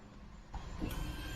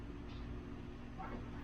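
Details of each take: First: Foxbody Mustang after fixing low voltage on fuel pump circuit and reinstalling ECU: low electric hum about a second at key-on, then stops; fuel pump priming normally, fuel restored. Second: Foxbody Mustang (Calypso clone) with low voltage on the fuel pump circuit: steady starter cranking in two spells, engine spins freely but never catches; no spark because the computer's power wire is cut, wiring fault.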